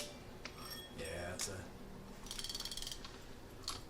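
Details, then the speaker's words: Fishing reel in for service at a rod and reel shop: loud, gritty clicking and rough whirring as it turns, far noisier than a healthy reel. Worn bearing, needs replacement. "like I could tell this one needs a bearing you could you could hear how loud it is"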